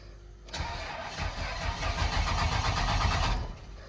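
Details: Truck with a hidden kill switch flipped, disabling a system needed to run, and the check engine light on: the starter cranks steadily at about four turns a second for three seconds, never catches, then stops.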